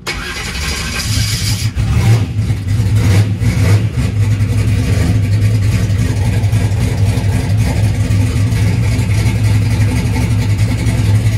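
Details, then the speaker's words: Boosted small-block Chevy V8 race car cold start on brake clean after battery wiring changes: short crank, then loud, lumpy, choppy cammed idle with steady deep beat; healthy start. "She looks like a choo-choo train. Choo-choo. All right, it did start up."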